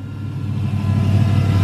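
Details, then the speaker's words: 2016 Hellcat, supercharged V8, first start after rebuild with new Metco supercharger pulley, jump box on dead battery: deep, even low rumble holding steady, no knocks or misses; everything sounds good, coolant slightly low; normal idle. "I don't want to jump the gun or anything but you know it's always satisfying when you take someone apart put it back together and it runs perfect everything sounds good"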